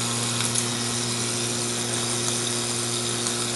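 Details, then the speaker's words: Whirlpool rotary vane compressor with badly worn motor: steady mains hum under a rough, gritty hiss, motor labouring without building speed; motor bearings completely shot (previously overheated and locked up), so it stalls when the head is tightened and barely pumps. "got somewhat back together it is worn the bearing is completely shot on the motor"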